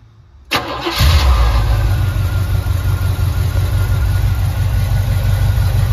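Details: Stock small block Chevy 400 with new rod and main bearings, new gaskets, and aftermarket intake and distributor: brief crank, then it catches cleanly into a strong, even idle with no knocks or ticks; healthy V8.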